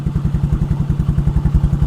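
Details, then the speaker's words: Motorcycle engine running on butane gas via hose to the carburetor, started on one click: steady even single-cylinder thump about nine firing pulses a second, no misses or stumbles; runs cleanly on butane. "Oh, gumagana. Gumagana nga yung ating butane gas, ano?"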